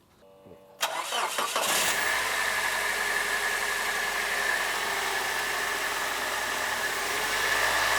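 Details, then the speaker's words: Toyota 3RZ petrol engine in a family SUV, owner reports no trouble ever: short crank, clean catch into steady even idle with no knocks or misses; healthy start. "suaranya enggak familiar ya Iya suara RZ sebenarnya sih Sedikit he sama kijang terakhir Kijang Fi ya"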